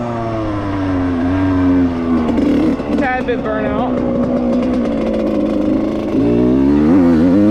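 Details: 1995 Suzuki RM125 two-stroke after a full motor rebuild, carb rebuild, float adjustment and jetting: pitch sags and stutters under throttle before picking up; running rich and bogging, worse in the air, owner suspects more pilot jetting or a carb seal needed.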